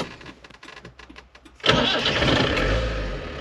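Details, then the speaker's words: Land Rover Santana 109 Super diesel: starter spins about a second and a half, then it fires at once and settles into a steady idle; healthy, normal cold start. "किसी कार्यक्रम के पहली बार कैसे शुरू किया जाए, हम बहुत अच्छे चल रहे हैं और यह बहुत अच्छी तरह से शुरू होता है"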